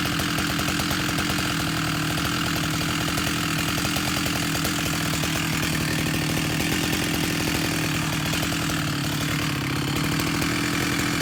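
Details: Husqvarna 371 chainsaw with an aftermarket Chinese cylinder, after fuel line and carburetor replacement, held flat out while setting the H screw toward 13,500 rpm; steady high scream with a faint burble underneath. Still slightly rich.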